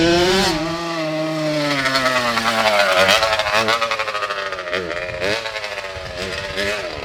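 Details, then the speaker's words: Two-stroke Kawasaki KX85 engine swapped into a Harley Davidson (Aermacchi) SS125 trail bike, fresh engine on its first ride: revs drop off, then stutter in uneven surges and pops, starving and cutting out. Rider suspects it ran out of gas, unconfirmed. "I think it ran out of gas. Remember when you told me to take it easy because it was a fresh engine? Yeah. I don't think there's any gas in it."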